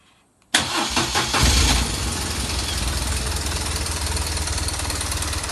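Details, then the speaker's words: BMW R 1200 R boxer motorcycle: hard clattering rattle right after start, then settling to an even idle; unchanged with clutch pulled or released; cam chain tensioner piston found loose and not working, tensioner to be replaced. "вот такой звук клапан овну армия сцепление выжимаем отпускаем никто не меняется будем разбираться грешу на натяжитель цепи грм"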